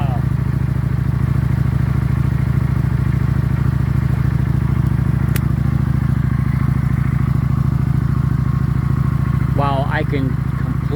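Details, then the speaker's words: 2019 Kawasaki Vulcan Classic LT V-twin with acceleration issues, idling after a spark plug change. A steady, evenly paced idle with a deep, regular pulse and no misses; it runs smoother and vibrates less than before. "it's running smoother it's not vibrating as much"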